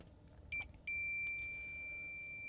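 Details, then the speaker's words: Samsung 55-inch TV connections tested with continuity meter: two quick broken chirps then a steady high beep, contact only intermittent; suspects the set was left somewhere damp and the connections are unhealthy, plans to bridge them all. "Um down on this one. That one seems okay. That one's not bad. Down at the bottom sometimes. sometimes."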